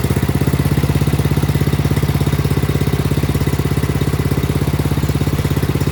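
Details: Craftsman snowblower after a new carburetor and fuel line were fitted: the small single-cylinder engine putters at a quick, very even beat and holds a steady idle; normal idle.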